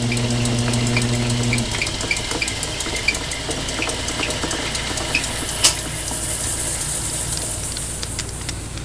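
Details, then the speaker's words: Late-1940s/early-1950s Logan 922 metal lathe, 11-inch swing, 36 inches between centers, after resetting the tool bit that caused chatter: steady cut with an even hiss and faint tick, no chatter; smooth lathe cut. "but there we go nice smooth cut"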